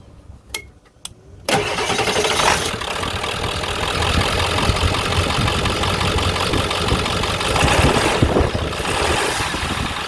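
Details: 1998–2003 Ford F250/F350 7.3L diesel after belt tensioner replacement: cranks, catches and settles into even clattering idle with the earlier belt squeal gone, then shuts off.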